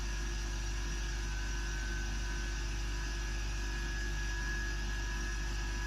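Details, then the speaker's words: New Gaahleri Apex Force ultra silent airbrush compressor, first switch-on filling two empty tanks, reaching 30 psi quickly: low, smooth, steady hum with faint fan noise, no knocking; normal running, noise expected to rise with pressure. "Now that is this big selling point for this compressor. That is literally, and it is already up to 30 psi. That is incredible. That is so quiet."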